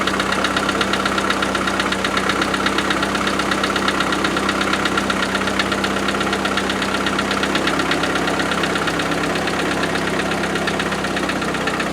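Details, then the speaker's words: 90 started cold, around 3°C, after four years unused, with a new coil and fresh fuel: steady light ticking at about 160 a minute over an even idle from the front; owner suspects a tapping valve or fan shroud contact, unconfirmed. "But I'm a bit concerned what that rattly noise is. Could be a valve. Could be a tapping."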